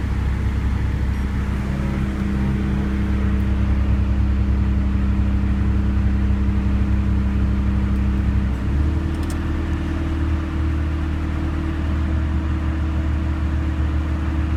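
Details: 1991 Honda Civic with Matsushita AC compressor after fix: compressor wire getting only about 75% alternator power reconnected directly to battery (14 V); steady engine hum, compressor running smoothly, no more rapid ticking, low even drone.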